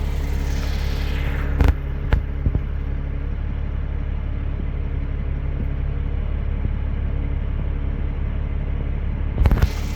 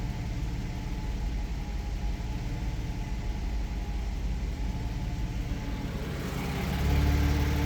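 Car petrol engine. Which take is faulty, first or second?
second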